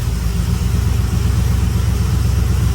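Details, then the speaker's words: 2004 Yukon Denali 6.0 LQ4 with a 6.2 LS3-style top end (823 rectangular-port heads, 228/228 cam, 50lb injectors, ported throttle body), built 4L65E, new exhaust, two-wheel-drive conversion; first start idle: deep, even burble, no misses or knocks; sounds good. "first start uh the first start man with a brand new exhaust and hopefully two-wheel drive conversions all right then sounds good"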